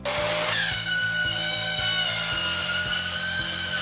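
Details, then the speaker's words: Dyson vacuum cleaner running with a piercing, steady high-pitched scream over its motor noise, with music beneath; cause unknown before teardown. "our hoover started making a noise that sounds like this"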